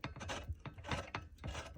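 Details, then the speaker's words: New Arcan 2-ton quick rise floor jack A20016, just unboxed: twisting the release valve handle gives a dry, rough grinding rasp in uneven bursts, as if jammed. Owner unsure if it needs grease; styrofoam was found stuck inside but is doubted as the cause. "It's really rough, kind of like it's jammed or something. I don't know why it's like this."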